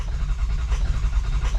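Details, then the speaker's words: 2003 Ford F350 6.0 PowerStroke diesel crank no start: fast, strong cranking with a deep pulsing rhythm that never fires. FICM showed 48 V and sync, ICP was plenty and IPR not maxed; cause not yet found. "yeah, so I had 48 volts during cranking. I had tons of injection control pressure. My IPR wasn't maxed out, and I was getting sync from the Fickum. So all that to say, I don't know why it's not starting."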